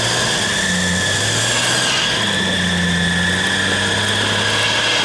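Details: Off-road vehicle after a full day of winching: steady high-pitched alternator belt squeal over the running engine as the winch draws heavy current.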